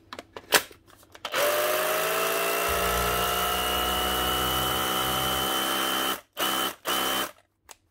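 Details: Bosch GBH 18V-26F cordless SDS drill after a burnt connector was cleaned and crimped and the drill reassembled: it spins up smoothly to a steady, even whine, then two short trigger bursts with no grinding, running healthy.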